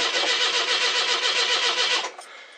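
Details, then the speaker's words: 42-year-old carbureted car (Daisy) after a couple of months sitting: two seconds of steady, fast starter cranking with no catch while the carb is drained of fuel; the old mechanical pump is possibly weak and the starter has a dead spot; fuel poured into the carb and float bowl got it started. "Poured a bit in the carb, tried to get a little bit into the float bowl, which I did. That's all it took."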